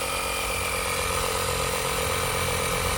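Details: GoMechanic tyre inflator (rated to 150 psi) pumping a motorcycle's rear tyre from about 2–3 psi to 32 psi, a 3–4 minute fill. Steady, fast buzzing rattle with a constant high whine for three seconds, then cut off; the inflator pumps normally.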